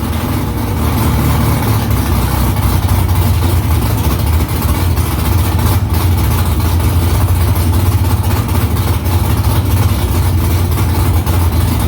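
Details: Newly installed headers on a V8 with exhaust back under the car, first start after about three weeks of work. Deep, even rumble with steady low pulses and no knocks or misses; louder in-cabin with seat vibration. Smoke from drying header silicone. Healthy idle.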